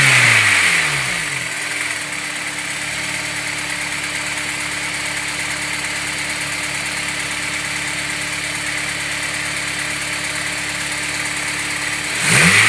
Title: bruit moteur a froid